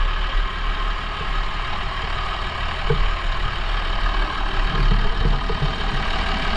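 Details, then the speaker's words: 1990 Blue Bird TC2000 bus, 12-valve Cummins diesel with 93,000 miles, cold start after sitting a month: rough-edged but even clatter settling into a steady idle, no knocks or misses; running great, owner plans to adjust the injection pump. "she's running great I'm going to play with the pump a little bit when I get some time"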